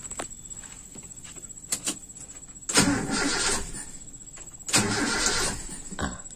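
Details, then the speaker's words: Toyota Kijang (3K/4K/5K/7K-type engine) after installing a points distributor: two short starter bursts, engine turns over but never fires; crank no-start, ignition timing suspected still slightly too retarded, spark and TDC compression on cylinder 1/4 being checked. "bisa hidupah kita lihat teman-teman apakah sudah benar itu biasanya pengapian kita tidak tepat masih kurang maju sedikit"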